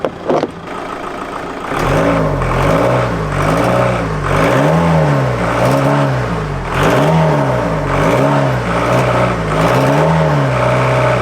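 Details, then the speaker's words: VW Golf GT TDI diesel revved after turbo replacement, no boost, smoke from exhaust, no engine lights: wavering uneven note with rough stumble, misfire-like; owner suspects turbo gone again or loose intake, cause unclear. "It's like misfiring. What in the world could that be?"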